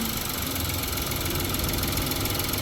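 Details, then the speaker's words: 2017 Honda Pilot with customer rough-running complaint, not a misfire, during connector testing: heavy, uneven rumbling idle with lumpy beat, engine shaking, AC on; cause not confirmed. "See there, it goes to on, and now it's running cruddy."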